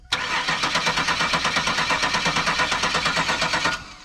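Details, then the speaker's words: Car revived after years sitting: starter cranks evenly at about three compression pulses a second for three seconds but never fires; fuel reaches the rail but no fire, cause unknown. "Now, folks, we have a no fire issue. So she's not getting fire right now for some reason."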